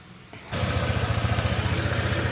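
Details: Honda PCX 160 before DIY CVT slider piece replacement: engine catches and settles into a fast idle with an uneven clattering rattle from the CVT side, owner calls it noisy; worn sliders.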